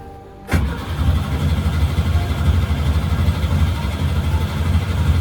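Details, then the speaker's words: Sailboat engine after an earlier engine fault and attempted fix: steady labored cranking about three turns a second with no catch or firing; turns over but won't start, owner believes his own mistake caused it. "I'm having a little bit of a hard time getting it running."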